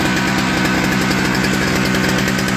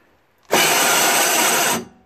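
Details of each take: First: Toro 38602 Snow Commander single-cylinder snow blower engine, after a new primer bulb and auger and drive cable adjustment: steady, busy run with even firing throughout; running properly. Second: Toro 38602 Snow Commander snowblower electric starter on extension-cord power after priming: harsh scraping grind just over a second with no cranking rhythm; starter gear teeth stripped and not engaging.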